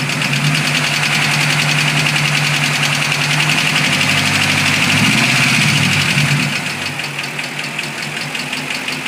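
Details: 2006 Mustang GT V8 at idle: sharp, rapid ticking about four per second, easing as revs drop, traced by stethoscope to passenger side; bad roller camshaft follower bearings wore a cam lobe almost round, fixed by replacing cams and valvetrain.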